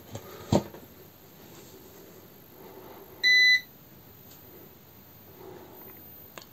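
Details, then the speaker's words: Trannergy SGN4000TL solar inverter, grid line reconnected after a deliberate disconnect error: one short high beep then faint relay clicks in a quiet room; normal grid reconnect before it resumes feeding the grid. "now I will connect grid line back"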